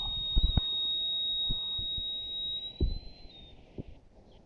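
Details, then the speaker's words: Low-cost overhead water tank alarm: when the second wire is immersed as the tank fills, a steady high buzzer near 4 kHz sounds, then stops when switched off, signalling to turn off the pump motor; working as intended. "2வது immerse ஆச்சு, சத்தம் வந்துடுச்சா? அவ்வளோதான். நீங்கள் உடனே ஓடி போய் மோட்டாரை பம்ப் செட்டை நிறுத்திடலாம்."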